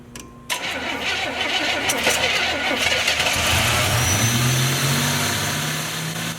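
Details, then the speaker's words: Buick Grand National project, first start: it cranks, catches after half a second and settles into a slightly unsteady idle with a faint hiss. Owner suspects a vacuum leak still to be found. "Well, it's alive. Sounds like it's got a vacuum leak that we need to find and take care of, but it's running nonetheless."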